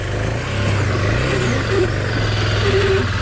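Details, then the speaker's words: BMW GS adventure motorcycle on an off-road climb: engine labours at high revs with a faint high whistle riding over it; the rider says the clutch is worn out. "Son embrayage il est foutu. T'entends siffler?"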